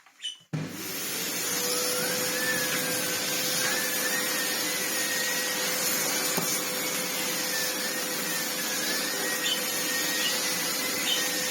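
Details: Old red Sebo C2 Total vacuum on max power after airflow restriction cleared: smooth even rushing whine with faint steady spinning tone; turbo head spins fine, airflow strong, cleans well; normal running.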